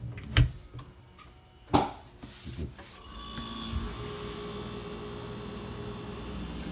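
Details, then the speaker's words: Whirlpool refrigerator after replacing the faulty start relay: on plugging in, a sharp relay click, then a low steady hum rises and holds as the compressor starts normally. "So after you plug it in, you'll hear the relay click on, and then you'll hear your compressor start."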